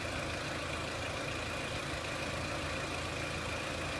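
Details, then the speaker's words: 2003 Renault Clio 1.6 petrol, intermittent stalling traced to loose crank sensor connector (sensor good), analog crank sensor being scope-tested; quiet even idle under some hiss, no misfire, hunting or stalling; normal idle. "And what we're going to do is start the vehicle up. You can see the stepper motor kicked in and back to normal. And it's idling quite nicely now, but what we're also going to show you is how to look at this crank sensor a bit better."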